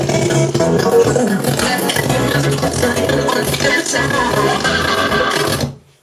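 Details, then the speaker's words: Harman Kardon SoundSticks III speakers on an iMac playing music: fine at medium volume, but harsh crackling and breaking up at top volume; speaker distortion at high volume, owner unsure if speakers are faulty. "When the volume's at a medium level, it's fine. But if I try going up to the top range, I don't expect it to be perfect, but I don't expect it to break up li"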